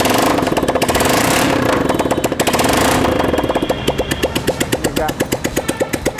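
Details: TVS Apache single after half-engine rebuild and timing chain fitting, freshly started, silencer off: settles into a crisp, even rapid popping idle that sounds like a healthy engine.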